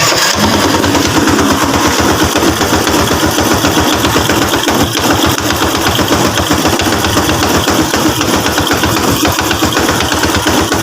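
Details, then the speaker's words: Honda Wave 100 motorcycle after top overhaul at another shop, still smoking: idles with busy metallic clatter on each firing beat, from a loose timing chain. "umuusok siya mga boss umuusok pa rin kalampag yung makina"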